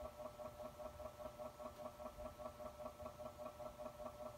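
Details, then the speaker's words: 1984 AR turntable Hurst motor after cleaning and refitting the back cap, running off the turntable; quiet hum pulsing unevenly about two and a half times a second, quieter than before but still uneven, cause not pinned down. "definitely still has that uneven sound to it but it's going back to the videos that I made yesterday it seems better now than it was 24 hours ago"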